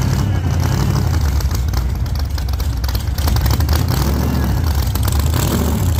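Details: 1948 Chevy Fleetline small-block Chevy V8, 4-speed, open headers, test burnout after repair for pushrods breaking on first burnouts: loud even roar held at high revs, no ticking, clatter or misses; normal healthy high-rev running.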